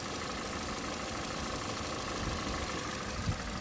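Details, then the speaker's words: 2014 Toyota Corolla LE, 1.8 2ZR-FE, after a wire was repaired with a heat-shrink butt connector; idling fairly low with a low, steady, even hum, no misses, knocks or stumbles. Normal idle. "Anyway, she's idling fairly low."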